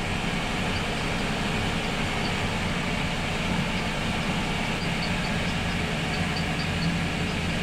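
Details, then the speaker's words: Boat starboard engine after repairs for persistent overheating, tank low on fuel: steady, even mid-speed drone at about 1,500 rpm with a smooth low rumble and no knocks or misses; normal running. "All right, I'm gonna run it a little higher. It's about 1,500 RPM."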